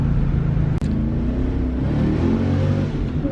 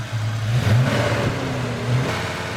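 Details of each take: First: 1993 Ford Mustang Cobra 5.0L V8 road test after fixing the cylinder misfire that caused 2000-3000 rpm hesitation: pulls strongly, drops at the shift, then climbs again smoothly with no hesitation; all cylinders firing. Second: 1993 Ford Mustang Cobra 5.0L V8, intermittent check engine light, revved to about 2000 rpm near the engine while checking exhaust temperatures: slightly uneven, stumbling rumble; number three cylinder runs lean and hotter than the rest.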